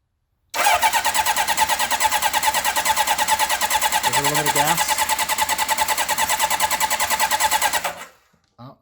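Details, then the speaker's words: 1978 Honda CB750, about 40 years old, bought as a winter rebuild project, with fuel reaching the leaking carbs: the starter churns steadily about three beats a second for seven seconds with no firing, because the kill switch was left off. "try again sorry i had the engine off yeah that would that would help"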